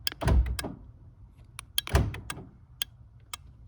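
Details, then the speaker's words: Aftermarket keyless entry module being tested during installation on a car with power door locks: sharp relay clicks from the module with dull thunks from the locks on each remote lock and unlock press. Operation is normal. "all right so here are the door locks and this is going to unlock this is going to lock and you can hear the module clicking every time I press on the remote"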